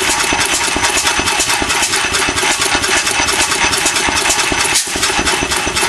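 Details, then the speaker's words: Vintage 8 hp vertical Bessemer engine, first run on propane with buzz-coil ignition, trickle water cooling and a muffler: loose, uneven chuffing near 2/s with occasional sharp backfire cracks; owner suspects a crankcase gasket air leak plus late timing. "go get the backp every once in a while I think I might have a a gasket leaking on the crank case might be sucking a little bit of air somewhere could be that in a combination of late timing"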